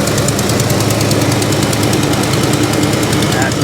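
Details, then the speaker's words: 1969 Chevy Chevelle SS V8 idling with a little throttle: quick, light ticking over the rumble from a very slight exhaust header leak up front. "Yeah, it's got a very slight header leak."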